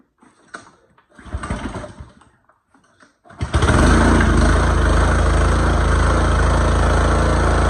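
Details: Pressure washer after repairing the broken brass water intake on the pump, started on choke with hose connected: a few pulls, then the engine catches and settles into a steady, even run with no stumbling or knocking, no leaks at pump; sounds healthy.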